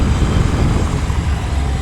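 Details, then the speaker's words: Kawasaki ZRX1100 at about 4,000 rpm, previously buzzing/rattling there: steady engine drone under wind and road noise, no buzz or rattle after tightening a loose screw, later identified as headlight adjuster bolt; bike running clean. "39 41 4. Yeah, it's gone. Said stupid stupid screw right here."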